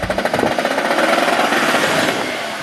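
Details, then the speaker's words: Cheap VW Touareg, recently repaired after sitting: harsh metallic hammering about fifteen hits a second, smearing into continuous rattle under hard acceleration; noise traced to transfer case, stepper motor the only other suspect. "so the noise that we just heard is 100% coming from this transfer case"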